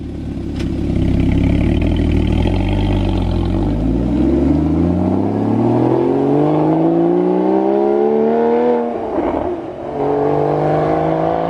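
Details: Porsche Cayman 981 GT4 rebuilt after a motorway crash to the nearside rear, running with its new exhaust fitted: a clean rev climbing smoothly in pitch, a brief lift and pick-up again, a crisp note with no rattles; healthy.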